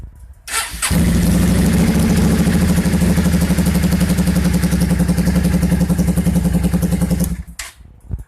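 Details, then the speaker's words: 2002 Yamaha V-Star 650 Custom with a cold-weather starting issue, after replacing a leaking fuel valve, on choke: twin cranks briefly, fires right away and holds a steady, even high idle; starts cleanly from cold. "can see she fires up no problem"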